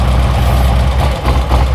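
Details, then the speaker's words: 2008 Harley-Davidson Street Glide, 96-inch, six-speed, warmed up idle: lumpy V-twin idle sags and stumbles on short brake-cleaner bursts at front intake manifold; leaking front intake manifold seal. "Hear the motor die. Little short burst. Okay. So, we know with that we know with that we've got a leak intake manifold seal."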